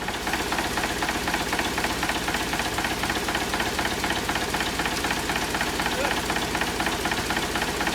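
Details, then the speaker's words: 1963 Volvo BM backloader, air compressor after repair, refilling emptied tanks: steady diesel clatter with even beat about four per second, nothing irregular; compressor definitely pumping air, normal running. "So we got to be having good air going into the air tanks cuz there was no air in the air tanks cuz we let it all out."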